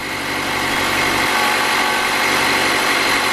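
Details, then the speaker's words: Car after spark plug replacement, which was done to fix rough idle and stalling when the clutch and brake are pressed: cold-start idle, steady and even with a smooth pulse and no stumbling or misses; running cleanly. "Yeah, now that noise you're hearing is pretty much a cold start, and that's completely normal."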